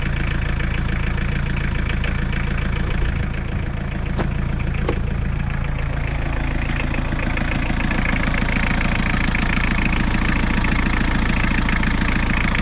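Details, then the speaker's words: Suzuki Samurai with Isuzu four-cylinder diesel, first start after long cranking on a weak battery: steady, even low diesel clatter at settled idle, no misses, all four cylinders firing; normal diesel idle. "that is good news it sounds good even on all four cylinders"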